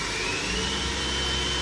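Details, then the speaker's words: 2015 Doosan DNM 750 vertical machining center (Fanuc i-Series control, about 500 cutting hours), spindle at about 3,000 rpm: steady high-pitched whir with an even airy rush and a faint clean tone, no knocks or grinding. Smooth. "I'm gonna go ahead and crank it up. Currently running about 3,000 RPMs right now."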